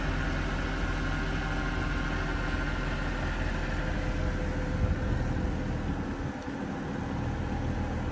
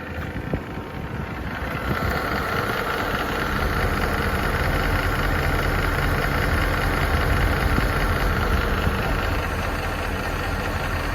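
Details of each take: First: Mercedes M156 V8 petrol engine after camshaft adjuster replacement: smooth idle with a steady low rumble and no ticking. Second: Mercedes M156 V8 idling before camshaft adjuster replacement: steady, fairly quick ticking, about four a second, from worn camshaft adjusters.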